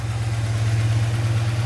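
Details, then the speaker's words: Old Dodge V8 truck first run after 10 years off the road, freshly reassembled with oil in the cylinders, not yet warm, fast idle likely on: low, smooth, quiet idle with no knocks or rattles; healthy. "That's the quietest I've ever heard this thing. I It's weird to hear it like normal."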